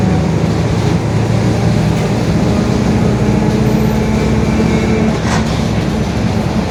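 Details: Marcopolo Torino S 2018 body on 2021 Mercedes-Benz OF-1721 BlueTec 5 diesel city bus, while driving: a steady low droning growl under engine and road noise, from a worn, growling differential.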